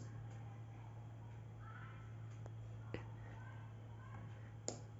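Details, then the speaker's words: 5 V relay driven by Bolt Wi-Fi module GPIO via BC547 transistor in home automation circuit: crisp single clicks a second or two apart over a low steady hum as the electromagnet pulls the contact; normal relay clicking. "This ticking sound which you can hear is actually of the relay. The relay contains an electromagnet which gets heated when I turn the GPIO current high."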